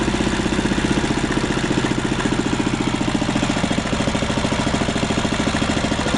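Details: 1939 Lauson RSM 1hp marine inboard, air-cooled single-cylinder (5.9 cu in, rated 2300 rpm), audio-tuned straight pipe: steady putter with crisp, even exhaust beat, no knocks or misses; running smoothly.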